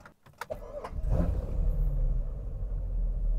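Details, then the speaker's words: Car restarting with the MAF airmass filter zeroed in the tune (high speed mode, above rpm disable limit): cranks, stumbles unhappily for a second, then catches and settles into a steady low idle, running much smoother. "we're up and running now she wasn't happy for a second and it's up and running a lot smoother"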